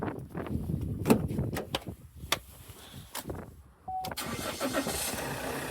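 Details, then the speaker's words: 2012 Vauxhall Astra 2.0 CDTi diesel with a P0615 no-crank fault. With a temporary jumper grounding the starter relay, a few clicks are followed by normal cranking and an even start. The cause is a missing ground to the starter relay, not yet repaired. "on. Yes. So there we are then. This Astra is missing a ground to the starter relay."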